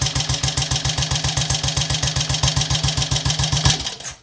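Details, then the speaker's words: Triumph Tiger Cub Scrambles replica single, stone cold, four jabs on the tickler, eight kicks: fires up and settles into a steady, even thump about three to four beats a second; healthy cold start. "well while that doesn't make me look like a magician I can live with and accept that that was four Jabs on Tickler but it actually took more kicks to start today than what it did yesterday"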